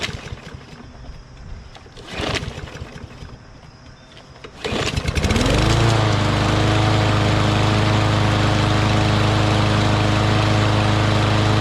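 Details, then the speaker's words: Craftsman push lawn mower that ran rough, two days after deep-cleaner fuel additive: a couple of pulls, it catches, then settles into a smooth steady drone with no surging or misses; owner suspects the additive cleaned the carburetor jets. "That's awesome, because it was running rough a couple of days ago. So I think maybe this deep cleaner just soaked in the gas a little bit and just made its way to the carburetor and just like loosened up whatever gunk or stuff is in there, right?"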